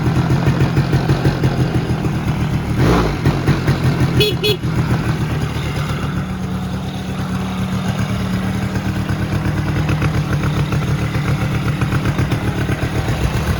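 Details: 2001-2006 Polaris Sportsman 90 after a top end rebuild, idling with a steady, even putter and no knocks or misses; clicking heard earlier while cranking with the head on was not from the engine.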